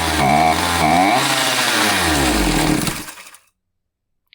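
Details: Husqvarna 543XP chainsaw after owner's failed carb adjustment (limiter range likely shifted with special tool): saw revs unevenly, surging and sagging before dying, won't stay running; carburetor mixture screws set out of range.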